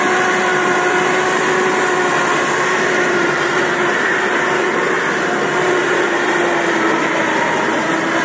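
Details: Samurai rotary mower, 1.40 m cut, hydraulic cylinder removed, run in third speed with high rotor rpm: loud even hum with a steady, slightly wandering high tone, no knocks or grinding; chain drive running normally.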